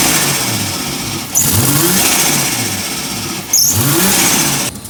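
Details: 1987 VL Commodore, automatic, RB30 freshly converted to turbo (GT3582, 8psi, Nistune ECU, 650cc injectors). Two sharp revs climb cleanly with a hissy turbo whoosh up top, then drop back smoothly; the turbo engine runs properly.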